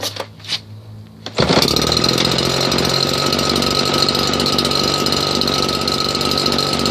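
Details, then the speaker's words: Husqvarna 580BTS backpack blower after repairing throttle-assembly kill switch wires, test run: fires after a moment, loud steady high-revving buzz, no stumbling or cutting out; kill switch working. "yeah that was it to test runs and his working Husqvarna 580 BTS most powerful his backpack blue in the world"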